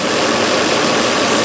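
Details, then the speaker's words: 2005 VW Touareg 4.2 V8 with lean faults and a stiff brake pedal: steady hiss over a smooth idle that doesn't pulse with the engine, from a big split in the previously patched brake vacuum hose running from the vacuum pump to the booster. "all right so I found our leak it's back here did you show that here's here's what I'm seeing all these repairs"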